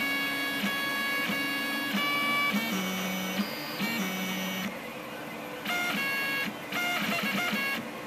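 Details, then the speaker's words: Rostock MAX v2 delta 3D printer before Astrosyn dampers are fitted on its three axis stepper motors: loud shifting musical buzzing tones changing pitch with each move, undamped steppers singing through the frame. "okay this is just a short video to illustrate the sound of the rostock max before these little astrosyn dampers are installed on the three axis motors"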